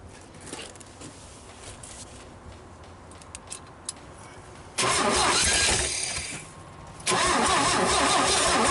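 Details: GMC 305 V6, first start in years, vacuum advance port plugged: long uneven cranking, then a couple of rough catches that won't settle into idle; ignition timing appears out.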